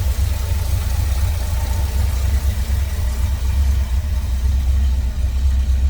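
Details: 1970 Chevrolet C10 with a 350 small-block, headers, newer exhaust, Edelbrock carb and intake (possibly Performer RPM), at idle: deep, steady V8 rumble with an even beat and no knocks or ticks; smooth running, normal idle.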